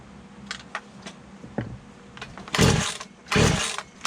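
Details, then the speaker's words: Poulan 2150 chainsaw with a new cylinder and piston, running a cleaned OEM carburetor: faint clicks, then short raspy bursts that cut out and restart, won't hold idle; owner thinks the carburetor is the cause. "well at least she's running every time I want to have it idle hope this cord's getting bad don't call it a Poland for nothing so this is primarily a carburetor thing at the moment I think"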